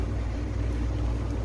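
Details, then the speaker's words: Electric fan after repair, with a new capacitor fitted: low steady hum and whoosh of air with no ticking, scraping or wobble, spinning fast and running normally. "Oke jadi lihat teman-teman kipasnya sudah berkutat dengan sempurna sudah berputar kencang"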